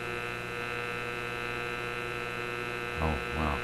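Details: Simplex antique vacuum tube radio after the Magic Eye tube B+ fix: constant low buzz with a stack of steady tones and almost no station audio coming through; hum fault of unknown cause.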